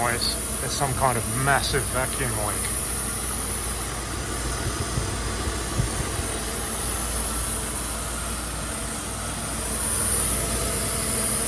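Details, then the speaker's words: Mercedes W124 at idle: loud steady airy hiss over smooth petrol idle, audible outside with filter installed and hood closed, louder than before and than another car; owner suspects the throttle body. "I strongly suspect the hissing noise is simply coming from the throttle body but I sure don't remember it ever being this loud before and it certainly isn't this loud on my red car"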